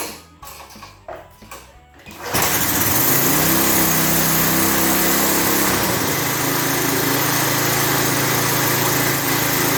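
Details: Lawn edger with 3.5 HP Tecumseh engine that would not crank and run: after a few quiet seconds it fires and settles into a steady, even buzzing run with no misses or knocks; smoothed out once the air filter was properly installed.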